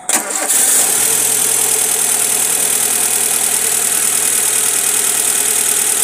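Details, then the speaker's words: Engine running rough with no check-engine light, one of two ignition coils giving no spark after a long trip: cranks, catches and settles into a hissy idle with an uneven, stumbling beat from the dead coil. "start nah ini ya beri memang itunya apa namanya kuilnyailnya yang mati kalau cabut cek lagi kalau ini benar-benar enggak nyala"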